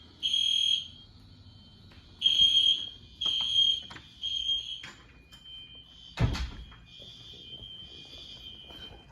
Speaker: i can hear it a little bit now they connected here they're not in sync at all i hate that i gotta get a sync module one